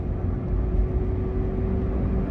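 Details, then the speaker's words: Toyota Avanza under throttle: steady droning hum over heavy road rumble, appearing when accelerating from low RPM and vanishing off throttle: worn rear differential whine. "Kita awal gas bunyi ngunguk lepas gas hilang. Awal diinjak gasnya gadanya bunyiung tapi kalau lepas gas ya hilang."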